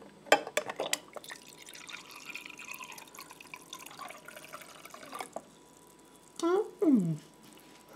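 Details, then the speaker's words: New Samsung RB29FWRNDSS fridge freezer water dispenser test: soft trickle and drips of water into a glass, steady with no buzzing or sputtering; dispenser pouring normally. "So I'm going to test the water dispenser now."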